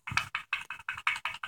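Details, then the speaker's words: BMW M50 single VANOS unit removed from the car and shaken by hand: quick bright metallic clacks about six a second; the worn unit has play and rattles, unlike a rebuilt one. "this is a presentation of m50 vanos rattle and you this is an example of vanos rattle"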